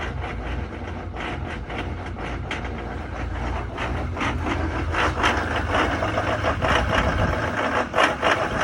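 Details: 2019 Duramax diesel just started cold at about 15 below zero, idling with a loud uneven clatter and lumpy rhythm that never smooths out; rough idle present since the truck was new.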